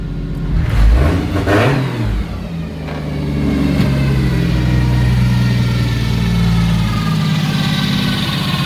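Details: 1JZ head on 2JZ block (1.5JZ) build, after reconnecting the cylinder 6 coil pack; revs pick up sharply on throttle blips, then hold a smooth even high idle with no misfire or knock.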